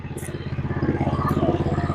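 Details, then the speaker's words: Lifan 212 single-cylinder (GoPowerSports) after re-jetting the carburettor with bigger jets: fast, perfectly even putter of about thirteen pulses a second with no stumbling; clean normal idle. "as you can hear it's idle and nice and smooth no break up at all"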